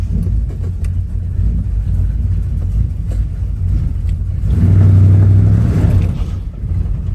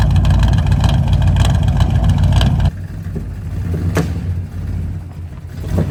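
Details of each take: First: 1985 square body Chevy with swapped small-block 350: low deep idle rising into a smooth rev with no backfiring, sounds a little better; distributor makes a noisy lifter-like tick. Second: Budget small-block Chevy 350 just swapped into a 1985 square body Chevy truck, not yet fully warm, timing about 10–12° initial: revs then rough idle with sharp pops backfiring through the carb; owner suspects the ignition module.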